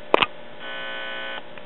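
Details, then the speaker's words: Late-1940s PAL 78 rpm child's record player, after tying floating circuit ground to chassis to cure buzz: couple of sharp clicks, then faint steady buzz; amp reasonably quiet now but low gain, cartridge dead. "okay that's better of course not a whole lot of gain with the finger touch because this little wimpy amplifier"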